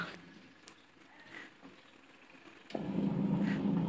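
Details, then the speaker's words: Polytron twin-tub washing machine after reassembly and setting drive-belt tension to neither tight nor loose: quiet, then a smooth, steady wash-motor hum with no grinding. The earlier rough noise is gone, pointing to the gearbox as the fault. "dan di sini suaranya sudah halus ya teman-teman suara kasarnya sudah hilang artinya kerusakannya itu ada di bagian gearbox ya teman-teman"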